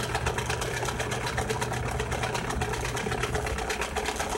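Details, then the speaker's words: Samsung washing machine with tub and agitator removed, during spin cycle: steady buzzing hum with a fast, uneven rattle; the drain pump is defective. "Ese es el centrifugado y no va a parar hasta que termine su ciclo este es bueno la bomba de acá está defectuosa"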